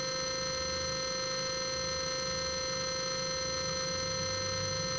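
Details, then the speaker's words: Bafang 500 W geared hub motor from an Addmotor Motan 20-inch fat-tyre eBike, electrical core run alone with the gears removed: smooth, even hum with steady whining tones, no scraping or ticking. Coils look unburnt; motor spins cleanly. "the K s sounds fairly smooth [Music] that's going quite fast there"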